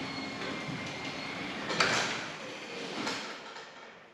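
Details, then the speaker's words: Genie 6172H-0 wall-mount jackshaft opener closing C.H.I 5916 insulated steel door with nylon rollers and 15 in radius track, after beeping and flashing its light. Soft, even sliding rumble, one light clack midway, no grinding or straining: normal closing. "Now I think it's going to do the same thing here. There it beeps, it flashes the little light. And now it's closing."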